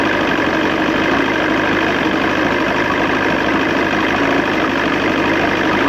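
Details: 1986 Johnson 90hp SPL outboard in a water tub with the air box on, after link-and-sync, ignition timing and restoring the modified carb. Thermostats seem to be working. Steady even idle with a constant rumble, no misses or knocks. Owner thinks it needs a new fuel pump.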